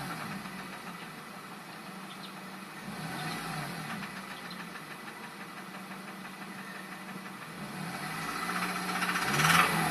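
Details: 2002 Acura RSX Type S with K20A2 engine: a steady knock tapping about four times a second over the idle; engine knock.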